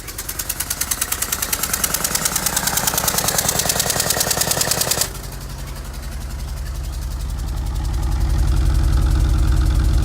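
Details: Mitsubishi Evo VIII started after sitting over a year in a garage: sharp, regular ticking knock at about 220 a minute over a rough idle that nearly dies, smells very rich, then the knock quietens as idle settles; cause unknown.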